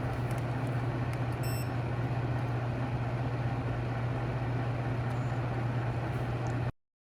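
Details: Apartment wall heater after cleaning the fan and lubricating with WD-40: steady low hum with even airy whoosh, no rattle or scrape; much quieter than before the fix, running normally.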